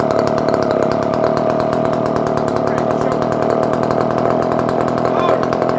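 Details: Circa-1970 barn-find Dolmar 118 Super chainsaw, cold started with choke after a few pulls: fast even two-stroke buzz at steady high speed, no stumbling or misfires; runs well and oils, idle somewhat rough.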